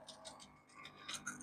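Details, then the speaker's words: Washing machine that will not drain: drain pump running with the drain valve opened, water flowing out; light uneven metallic clicks and rattles, probably from a coin caught in the drain pump. "запрацює в нас насос чуєте клацає щось щось попало під насос мабуть ще там копійка десь і вода ось біжить"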